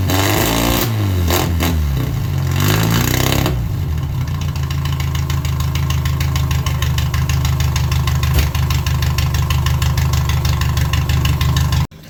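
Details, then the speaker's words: 1978 MG Midget with a 1.5 engine and side-draft carbs, revived after sitting for years: a few blips settle into a slightly lumpy, wavering idle before cutting off. "Sucks that the carbs are like, it runs alright, but seems to break up a little still."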